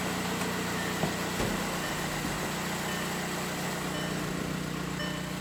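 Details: VW Beetle 1.9L engine just after timing belt and water pump replacement: a steady, even idle with a smooth constant hum and no knocks, misses or rattles. No warning lights showed on the dash and the engine runs cleanly.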